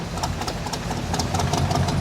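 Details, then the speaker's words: 1985 Chevy K10 V8 that would not idle after sitting (owner suspected gummed carburetor), now settling into a steady, even low idle on its own after Seafoam spray and fuel additive treatment. "i'll take you for a spin as well but it's already idling again so that's pretty awesome looks like it works"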